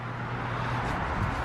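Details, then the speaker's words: Goodman outdoor HVAC unit not cooling while the indoor air handler works: a steady low electrical buzz as the compressor hums but never starts and the fan barely turns; a capacitor is suspected. "I don't hear a compressor, and the fan is barely turning. It's not turning fast. It's probably hard to tell on camera. You can hear the compressor buzzing."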